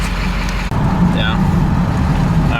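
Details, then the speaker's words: Ford F250 7.3 Powerstroke diesel, after fixing misplugged injector harness, on 100 hp performance tune, not yet driven on it: low, even rumble, no stumbles or skipped beats; running smooth on all cylinders. "so we know that she's running smooth I got her in the hundred horse performance tune"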